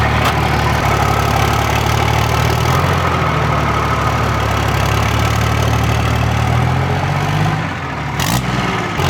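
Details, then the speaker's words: 2007 Ram 2500 4x4 dually diesel, start after installing Flux 103% over injectors, plus oil and coolant top-off: deep catch, then smooth steady idle with even low rumble, no misses; healthy start, burns clean afterward. "all right it's time to fire this thing up and just make sure oil and everything's topped off and also top off the coolant as well and let this thing warm up"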